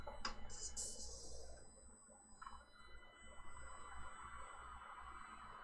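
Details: Creality Ender 3 Pro just fitted with a BigTreeTech SKR 2 board, homing: a thin steady buzz with faint high whining tones. Suspected to be a fan resonating, not confirmed.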